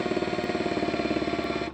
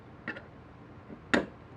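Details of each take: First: Makita DHP481Z/XPH07 combi drill, new: fast, even rattling hammer beats over motor whine when spring-loaded chuck is pressed, continuing in drill and driver modes; hammer action not disengaging, swapped for another unit. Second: Makita DHP481Z/XPH07 combi drill: rapid, even hammer blows, about thirteen a second, over the motor whir; normal hammer-mode action, though the defective unit also hammered in drill and driver modes, suspected internal transmission fault.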